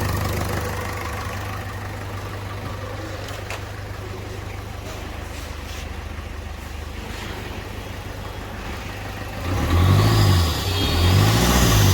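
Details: Ford Figo diesel, which had a misfire, limited rpm and a blinking light with code P1204, idles smoothly with a low steady rumble and then takes two clean throttle blips after the injector was refitted.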